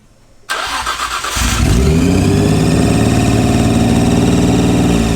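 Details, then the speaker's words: Nissan R34 GTR at first start after nearly a year, belts not yet fitted: fast, steady high idle that never drops. Suspected intake or vacuum leak, acting odd when sprayed. "Sounds like intake leaks, doesn't it? It sounds like intake leaks, but it doesn't change."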